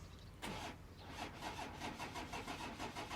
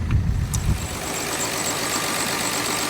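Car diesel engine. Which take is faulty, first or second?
first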